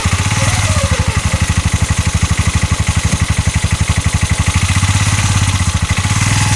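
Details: 2022 Massimo T-Boss 750 EFI UTV, heard from the back driving forward: heavy regular knocking about four per second over a rough-running engine; CV axles and U-joint tight, source unidentified.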